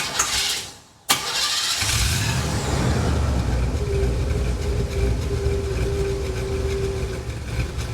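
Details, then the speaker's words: Oldsmobile just after starter repair, cold start in a chilly garage in the low 60s °F: catches on the first crank, then settles into an uneven, lumpy idle with a slight stumble; runs rough until warm. "Well, if you're paying close attention, you're probably noticing it was running a little bit rough. It'll do that until it warms up."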